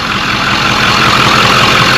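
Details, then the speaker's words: Diesel truck after turbo replacement and fuel cooler secondary system priming: even, steady idle clatter with smooth unchanging idle, no misses or knocks; purrs, no leaks, normal idle. "Truck sounds good though. Purrs. Not bad. No leaks."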